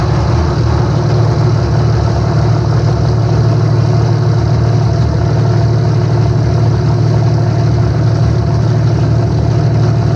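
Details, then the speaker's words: 5.9 Cummins diesel in a truck with a Smeding S472 turbo and EFI Live tuning, first start after installing FLUX 100% injectors, currently on a poor tune: loud, deep, steady six-cylinder clatter with an even beat, no misfire or knock; normal idle. "sound good thoughts sounds like a motor sounds like an engine good deal yes it does probably because it has a horrid tune on it right now"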